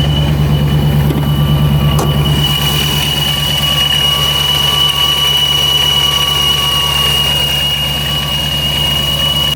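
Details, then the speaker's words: Dodge Hellcat/392 Charger supercharger at warm-up fast idle above 1000 rpm: steady rumble with thin constant whine, no grinding; sounds normal here, whereas the noise appears at lower idle (owner suspects idle set too low). "you notice that there it didn't sound very bad it just sounds like a supercharger should sound no you know excessive gear grinding"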